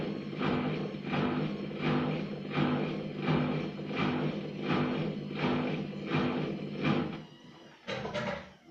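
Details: Gorenje WA50060 washing machine, recorded 2017: after draining stops, evenly spaced whooshing pulses about 80 a minute; absent during washing or spinning, cause unknown to owner.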